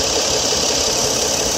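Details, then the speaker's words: BMW F10 5 Series idling under the hood with AC on: busy hissy clatter, more pronounced with AC, from the bad bearing in the belt tensioner pulley, which visibly shakes. "and you definitely shouldn't hear that rattle now that rattle happened is because the bearing on that little plastic piece down there is actually bad"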